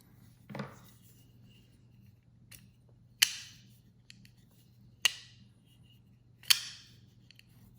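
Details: DPx Gear Hest/F 3.0 Decade titanium frame-lock knife with M390 blade, after disassembly, cleaning and retightening the pivot: three crisp, clean snaps as the blade swings and locks, the earlier grinding gone.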